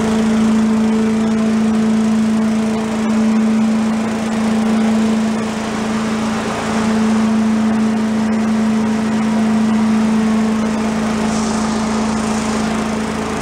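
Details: Commercial walk-behind leaf blower, repaired after carburetor problems, set on the ground for an extended run to check smoke: steady, even high two-stroke buzz at constant speed with no misses or surging; normal running.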